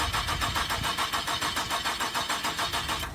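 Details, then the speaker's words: 2001 Nissan Frontier on a jump box: steady starter cranking at about three and a half pulses a second, never firing; sounds like it's not getting fuel (suspected), and it slips when put into gear. Crank no-start. "Try Trying to start, but uh just not Doesn't Doesn't sound like it's getting any fuel right at the moment."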